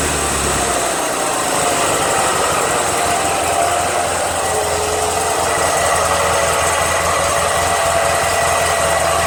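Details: Toro 616Z zero-turn mower twin-cylinder engine, suspected of sometimes running on one cylinder: even fast idle with no skips or stumbles; sounds like both cylinders are firing; healthy.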